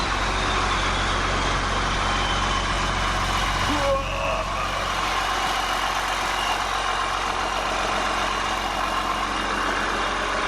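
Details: 8.3 Cummins swapped from a Ford F800 dump truck into a Case IH 2366 combine, first start after reassembly following a thrown rod, straight pipe: loud, steady even diesel rumble, no knocking or misses; choppy at first, then smoothed out, smoke clearing. Normal idle.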